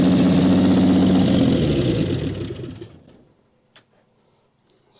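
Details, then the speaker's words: 1959 Chevy Biscayne that sat in a junkyard for years, first run after cleaning the points: it runs fast and busy for two seconds, then winds down and stops; idle speed set too high, to be adjusted. "pretty good the idle is way too high we need to adjust that nonetheless though she does run"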